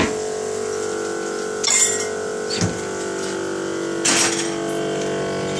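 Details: GE refrigerator model GTE22IBTJRWW runs with a loud, steady, buzzy rattling whir and brief louder scrapes from a failing evaporator fan motor; the motor was already replaced twice under warranty, the second time with a used one.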